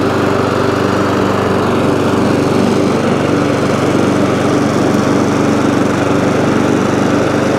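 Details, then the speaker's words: ATCO lawnmower, about 21-inch, Briggs & Stratton engine, after cleaning corroded HT lead: steady even drone, no misses, knocks or surging; runs, though it stops when drive released and throttle jammed, drive cable suspected worn or rusty. "so so so it runs um however drive drive works but when you take the drive off it stops"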